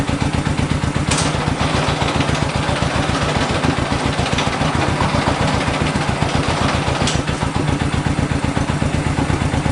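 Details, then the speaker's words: 1965 Honda CB77 Super Hawk 305 twin, sat 20 years, first run on the lift after a carb clean and fresh fuel, with no air filters fitted, so it runs slightly lean. Steady, even firing at fast idle, no misses or knocks. Normal running. "it's going to be running a little bit lien we don't have here filters"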